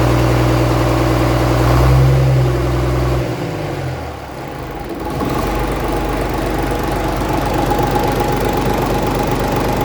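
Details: 1965 Gardner 6LXB 180 six-cylinder marine diesel, out of its boat on a temporary cooling system, first test run after restoration following failure at 80 hours: settles into an even beat of about four pulses a second, no knocks; healthy running.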